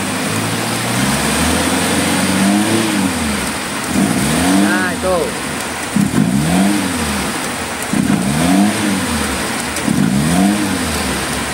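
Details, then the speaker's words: Suzuki Carry 1.0 van that starts hard and lacks power: repeated throttle blips rise unevenly with a hesitating, stumbling "jebut jebut" note; misfiring and bogging on acceleration, ignition being checked plug by plug. "kalau hidup susah Terus kalau digas itu ada suara seperti inibak jebut jebut jebut"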